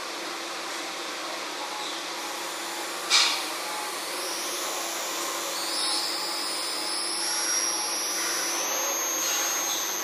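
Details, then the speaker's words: LM324-based 12V to 24V DC-DC boost converter, recorded with a sensitive microphone: a thin high-pitched inductor coil whine whose pitch changes as output moves around 13-17V, then collapses after about 17-18V when it can't deliver steady current. Winding the coil tighter reduces it. "so basically what you can do to reduce coil wine is to is to wind the course tighter so basically mine is producing a very little noise"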